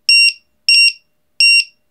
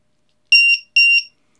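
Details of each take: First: LiPo/Li-ion 1–8 cell battery tester with low-voltage buzzer alarm, alarm threshold being set to 2.9 V per cell: three shrill double beeps about 0.7 s apart confirming the new setting, which reverts to the display after a few seconds. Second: Lithium battery tester with low-voltage buzzer checking a pack cell by cell: two loud, shrill beeps as the alarm warns that one cell is weak.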